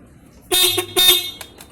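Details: Ducati 796 horn taken out of its bracket: two loud, clear blasts with a strong, steady tone. When screwed tight in the bracket the horn is dull or silent, and when loosened it is loud.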